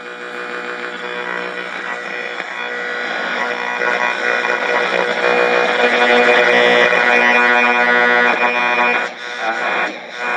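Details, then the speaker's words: Zenith X114W tube radio, 1967 model with parts dated mid-to-late 1966, first turn-on after repair and reassembly: after warm-up, station audio plays clean and steady with no smoke, crackle, pops or hum; set playing normally. "Give it a sec to warm up, and no smoke, no crackling. That's a good sign."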